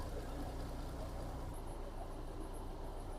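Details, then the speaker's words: MAN D28 common-rail truck diesel after clearing debris from an injector control orifice that caused knocking and white smoke: steady deep, even idle rumble, no smoke or knock. "Ну и вот так вот работает машина после того, как мы вытащили из управляющего отверстия мусор. Ни дыма, ни стука. Чётенько, ровненько."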